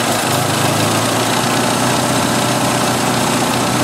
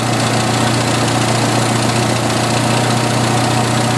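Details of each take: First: 1986 Jeep XJ 2.5L at idle: loud even hiss over the engine note; brake cleaner sprayed at the 3rd intake runner from front drops fuel trim from 150 to 30, confirming a vacuum leak there; engine running very lean. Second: 1986 Jeep XJ 2.5L, about half warmed up, idling after one of two vacuum leaks was fixed (crankcase ventilation wrongly set up under a non-original valve cover had the engine running very lean): steady, even, slower, smoother idle with no stumble or hiss.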